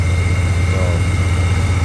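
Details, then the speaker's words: 1990 Chevrolet 454 SS pickup, stock big-block 454 V8 (reportedly new camshaft), just woken after storage: deep steady idle with a faint constant whistle, heard at the belt area; owner identifies a bad idler pulley bearing. "Yeah, there's definitely bad idler. I think it's this guy right here. I can just hear it right here."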